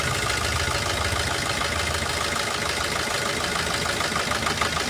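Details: Diesel car with injector three cut out through a scanner. The idle is uneven and shaky with a gap in the rhythm because that cylinder is dead.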